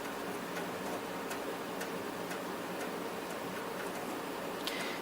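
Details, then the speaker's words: NEC PC-9821 Ce2 (PC-98) booting DOS 6.20 from a game floppy after the power-on beep: quiet irregular dry ticks, about two per second, over faint hum; normal floppy stepping and reading. "You just sit there, and you wait for the PC-98 to read DOS 6.20 off the floppy disk."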